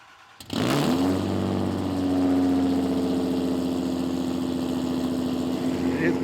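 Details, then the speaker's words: Toyota Supra 5MGE just fired up on newly installed headers and fully custom exhaust: loud, even fast idle with a steady deep drone; normal cold-start high idle expected to settle as it idles down. "[ __ ] loud it is loud but it's also on high idle cuz it's cold start so it'll probably chill out a lot when it uh idles down"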